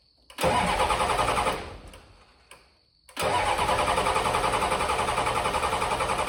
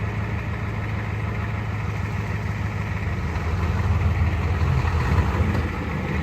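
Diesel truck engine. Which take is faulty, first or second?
first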